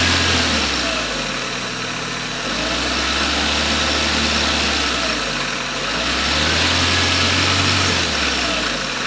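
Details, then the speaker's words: Maruti WagonR petrol car that wouldn't start after running out of fuel, key cycled on/off several times to prime the pump: steady, even idle with a slight slow speed wander and no knocks; now running normally. "അങ്ങനെ ഇപ്പോൾ നമ്മുടെ വണ്ടിക്ക് വേറെ പ്രശ്നങ്ങളൊന്നുമില്ല, എല്ലാം okay ആയിട്ടുണ്ട്."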